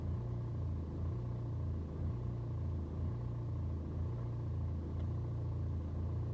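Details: BMW 120d N47 diesel on a cold start: low idle rumble swells and dips about once a second for over 2 minutes instead of holding steady; no rough idle on a warm restart, scanner shows no helpful codes.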